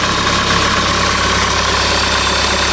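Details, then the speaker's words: 2008 Honda CR-V 2.2 i-CTDi diesel after replacing the alternator freewheel clutch that caused a high squeak from the belt area: smooth, even idle with no squeak or chatter; normal idle after repair. "new turning good and everything's okay so you saw now the job it's not that complicated"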